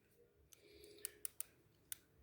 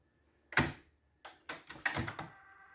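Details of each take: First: Technics RS-TR212 cassette deck: a few sharp, irregular plastic clicks as a drive gear with broken-off missing teeth skips. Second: Technics RS-TR212 cassette deck after replacing a broken plastic gear: button clicks then a faint even hum, clicking noise gone, mechanism nice and quiet.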